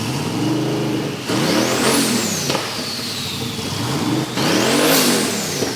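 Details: Twin-turbo VK Calais after injector and pushrod fixes, before its tune: two sharp throttle blips with turbo whistle rising and falling over a loud steady idle. Healthy running.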